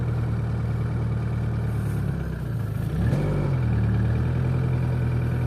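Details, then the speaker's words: Opel C20XE engine in Moskvich, frosty cold start after cleaning hydraulic lifters; smooth low idle hum stepping up slightly, lifters tapped briefly when cold then quiet; normal idle. "это уже радует [музыка] принципе все видели метрики постучали как обычно на холодную там пару"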